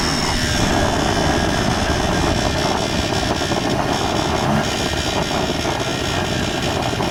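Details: 1994 Polaris Xplorer 300 4x4 after a top-end rebuild: steady single-cylinder drone with a thin buzz on top, occurring at certain rpm and on deceleration, with or without the primary clutch, driving or stationary; nothing obvious rubbing, source unknown.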